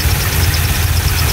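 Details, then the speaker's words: Chevrolet Corvette Z06 LS7 V8 (570HP) after accident, running on straight battery, oil pressure maintained: deep steady idle with even burble and light valvetrain tick, no weird noises heard. Normal idle. "and we are noise anywhere noises I'm not hearing any weird noises"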